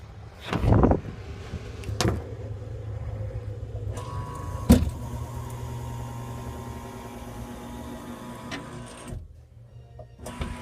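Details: Wolf downdraft vent motor whirring steadily as the vent rises, with heavy thumps every couple of seconds caused by a damaged lift roller wheel showing scratches.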